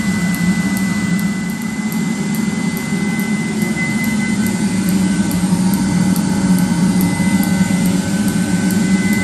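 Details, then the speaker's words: 30,000 BTU/hr multi-fuel fuel-fired personal cab heater for a 1973 M35A2 deuce and a half, on 24 V (about 24.3 V), just lit after brief howling at ignition: steady, unbroken burner roar and fan hum; normal running. "And you heard it howling there a little bit like I was talking about. Now it's running."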